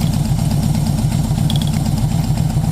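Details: 1980 Yamaha XS1100 Special with a low, lumpy idle, uneven beat and stumbles as cylinder #4 cuts in and out; owner suspects the spark plug resistor caps (originals read 700-820 ohms), swapped boots and plans new Dyna coils.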